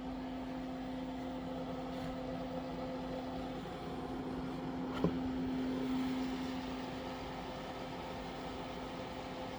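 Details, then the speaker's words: Outback Power inverter in a garage: steady mid-pitched hum over even fan air rush, no knocks or rattles; normal but loud. "this inverter just makes so much damn noise"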